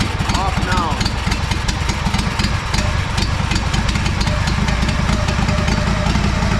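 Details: Honda 4118 mower with a GXV610 V-twin, run with the fuel on versus the fuel off: it chugs unevenly, spitting and popping, and clears right out when the fuel is shut off. Rough running and sputtering.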